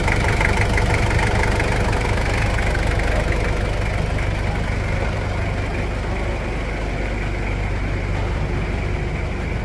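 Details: 1997 Toyota Hilux SW4 diesel, after engine and injection pump service, no engine leaks: even diesel idle about three beats a second, steady, no knock or miss; normal idle.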